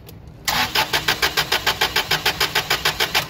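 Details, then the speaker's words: Toyota 8 Series 5,000 lb LPG forklift: FCM disconnected with the injector still connected, the starter cranks steadily at about three pulses a second and never catches, showing cranking fuel comes mainly from the main path, not the injector. "So the connector and the hose is connected. The FCM is disconnected though, but it's not able to start."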